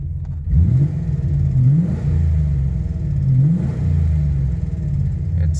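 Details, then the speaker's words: V8 Ford Ranger after fuel system upgrade (Walbro 255 pump, fixed kinked feed line) and self-tune: quick throttle blips rise and fall cleanly with no bog, though the owner notes a lean backfire still remains, possibly mass air related. "but I think my fuel is set now let's see if it has a bog no it doesn't"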